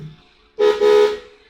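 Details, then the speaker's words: 1963 VW Beetle (300 bhp), ignition on, steering-wheel button wired to the horn: clear, steady mid-pitched honk sounded twice; normal horn operation. "that's the horn."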